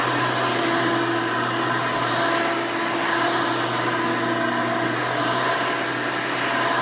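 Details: 1992 Hoover Elite II Total System Performance 650 upright vacuum (U4689-910), motor needed no work since purchase, running: loud but steady motor whir with even airflow rush, no rattles or pitch wavering; runs very nice and smooth.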